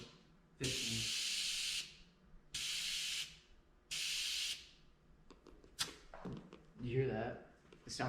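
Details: Tyre being inflated on a new Weld beadlock wheel for an oval-window VW: three sharp, evenly spaced hissing bursts about a second long, then handling clatter; air escaping during inflation, possibly trapped air after seating, source unconfirmed.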